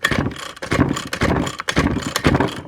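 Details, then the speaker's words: 6-year-old Ryobi string trimmer that reportedly won't start, old-smelling fuel, leakage around the carb: rasping pull-cord bursts about twice a second, engine never fires; cranks but won't start, carburetor suspected. "Oh, it doesn't sound right."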